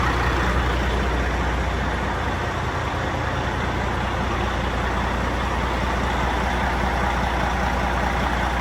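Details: Non-running Peterbilt 379 project truck diesel, first start: steady idle with slightly uneven beat and faint whine on top; owner suspects a little air in the system, unconfirmed.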